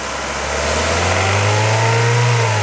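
Warm engine rises in revs with a thin metallic rattle riding over the hum; a rattle from the engine, cause not pinned down.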